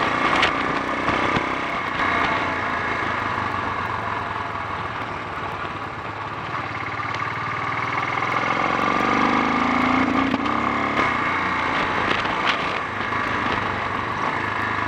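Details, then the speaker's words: Honda XL 350 on a test ride, engine recently repaired for a blown head gasket: single-cylinder note sputters and sags as the throttle opens. It misfires and bogs down on acceleration; cause not yet found, and handling is also poor. "handling on it is diabolical. It feels like it's got a puncture. I think we've gone far enough based on both the handling and the spluttering."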